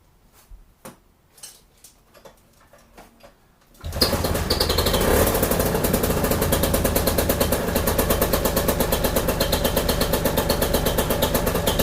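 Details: Paramotor two-stroke with just over 60 hours, started after maintenance (new cylinder-to-exhaust gasket, exhaust bolts and brass donuts): quiet clicks, then it fires and holds a crisp, even buzz with no misses or rattles; it sounds healthy.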